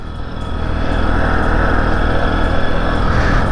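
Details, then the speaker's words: Bajaj Boxer 150 motorcycle engine whistle while riding: a steady high whistle like a supercharger above the even engine drone; cause not yet found. "Блін як їдеш з якимсь як тим нагнетателем во посвистоє трошки цікава якась движуха з двигуном тут"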